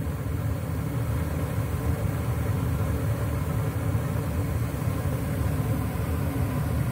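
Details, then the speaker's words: American Standard/Trane gas furnace with five burners, ECM blower motor after replacing its burned-out thermistor (Ametherm SL32 1R030): blower comes on with a steady, even low hum and no surging, rattling or scraping; repair successful, normal operation. "so there you can hear the blower motor and the blower fan came on so that was a good fix"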